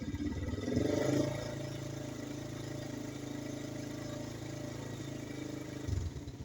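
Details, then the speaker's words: 1990 GL Max CDI, 58K odometer, fully original engine, after fitting old stock NGK spark plug and new online-bought CDI: steady single-cylinder putter at low even beat with brief blip; idle fairly stable, normal. "saya coba starter ya cukup stabil cukup"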